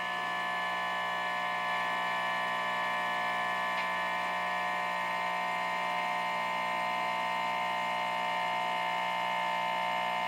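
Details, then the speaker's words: Home-studio guitar amp picking up a steady, harsh, multi-tone electrical buzz. It is caused by an LG TV plugged in the living room and goes quiet when the TV is unplugged. "it turns out that this tv lg tv in the living room causes this noise here"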